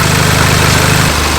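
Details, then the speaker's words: VW MK7 Golf R idling just after camshaft install, not yet at operating temperature: even, steady deep rumble that settles slightly lower, no misses or stumbles. Whether the fix worked is still unknown. Normal idle. "Until it hits operating temperature, we really aren't going to know if it fixed it, but obviously it just idled down. It still sounds really good. It didn't even actually hiccup except for when it needed fuel."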